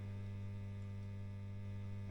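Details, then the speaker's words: Fender Blues Deluxe amp, in for a standby switch, gives a loud, constant low electrical hum with no playing, cutting out briefly then returning worse; capacitors checked and ruled out, a ground loop is suspected. "well that is a bit noisy I've just checked the capacitors uh I've just checked the capacitors just put this across each one of them and it ain't any of the Caps oh it's a Grand Loop wow"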